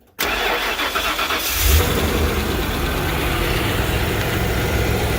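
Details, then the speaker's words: 1994 Ford E-350 after exhaust manifold reinstall with a milled face, plus new spark plugs: it cranks briefly, catches at once and settles into a steady, even idle with no ticking or puffing. The exhaust leak is fixed and it starts normally. "before you would heard wow sounds like it is sealed up running very smoothly too"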